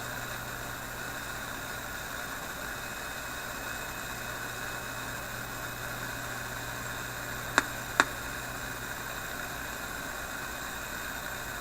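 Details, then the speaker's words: Philips 922 vacuum tube radio, started cold on current-limited supply around 115–120 V: steady even hiss with low hum and a couple of faint clicks, no static crashes now. "we'll just listen to it here i want to touch anything well I don't really hear those static crashes anymore"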